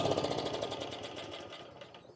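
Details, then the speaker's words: Self-propelled push mower that wouldn't start on pull cord, running only on starter fluid: fast uneven chattering beat about ten pulses a second that fades away; rough running, owner suspects carburetor needs cleaning. "I put a little bit of starter fluid in there, and I'll show you what happens when you put a little starter fluid in. Boom. It runs."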